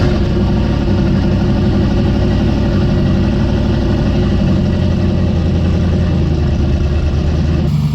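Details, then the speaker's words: Big-turbo Dart 363 V8 Foxbody on a drive after lashing the valves hot; deep, even drone with no ticking or tapping; the valve train sounds far quieter than the noise it made before. "i gotta tell you the valve train sounds way better it was definitely making some noise driving around"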